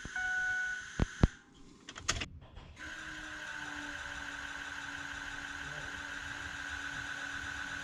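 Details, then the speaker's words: 2006 Ford F-250 with a 6.0 Powerstroke diesel, just after changing both fuel filters. The key is cycled repeatedly: clicks, then a faint, steady electric fuel pump hum at an even pitch, a normal pump priming the system. "we're going to rotate the key multiple times you're going to hear the fuel pump charge and prime the system"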